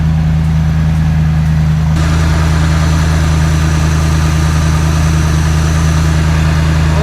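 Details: Ford Transit V8 on first start after the exhaust manifold was refitted and torqued (it sounded terrible before, especially in the cab): a deep, even rumble at idle with no misses, knocks or ticks, a smooth, steady idle.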